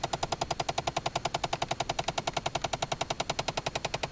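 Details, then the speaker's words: 2011 Chevy Impala: fast, even clicking, about eight to nine a second, felt and heard behind the dashboard console inside the cabin; starts at any time, whether the car is running or not, even with doors shut. "what is that noise it feels like it's and sounds like it's in behind the console I can feel it right here on the"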